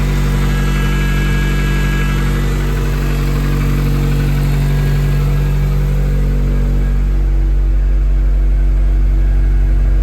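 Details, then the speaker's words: 2005 Acura RSX base automatic racecar, first start after engine swap back into car: strong steady low drone settling slightly lower, no knocks or misfires; fires and sounds decent, coolant and power steering not yet bled. "That was a big relief just to hear that run for that little bit. um just to know that at least it fires and it sounded decent when it ran."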